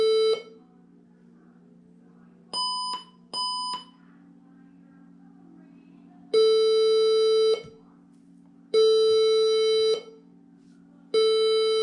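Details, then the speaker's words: HP 20-c434 all-in-one PC at power-on after an 8GB RAM upgrade: two short beeps, then long steady beeps repeating about every two seconds; error code, and the owner suspects the new RAM was not seated properly, not confirmed. "doesn't sound good does it all right let's turn this off try to reboot again"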